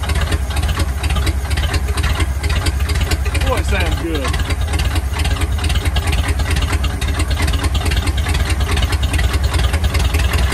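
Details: 1950 Ford flathead V8 truck, first start after about 40 years, gunk from freeing it still inside, throttle being worked: low, uneven chug with a ragged beat. Runs rough; a little smoke, not bad.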